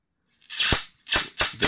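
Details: Mitsubishi Diamond Plus 93 SB CRT monitor, flyback with built-in capacitor tested in circuit. Four quick bursts of sharp hissing crackle in two seconds from long arcs. The flyback is putting out healthy high voltage.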